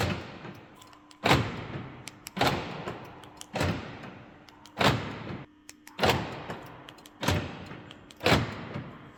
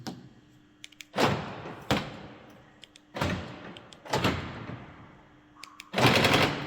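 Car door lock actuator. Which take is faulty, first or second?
second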